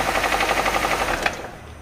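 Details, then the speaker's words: 2022 Nissan Kicks with only 15,000 km, arriving with a dented, leaking oil filter: loud, rapid rod knock at idle, about twelve a second; teardown found a damaged crankshaft and a failed cylinder 1 rod bearing, possibly from overheating. "deu entrada na oficina o filtro de óleo tá amassado e vazando pelo filtro e o motor tá batendo biela"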